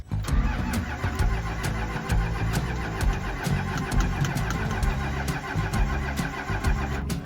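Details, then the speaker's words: 12-valve 6BT Cummins rollback tow truck after a piston replacement, before the head gasket swap, on a battery charged overnight: slow starter churn with compression pulses but no start. Air in the fuel is starving it. It used to fire instantly; the starter may need replacing. "that's enough of a test for me I cranked this thing for a long time yesterday I'm probably going to need to put a new starter in it today and it used to fire up instantly like never missed a beat"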